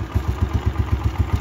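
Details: Motorcycle single at idle, fitted with an aftermarket exhaust pipe and clamp to change the sound: even thumping about seven beats per second, steady and clean, no clatter or misfire; normal idle.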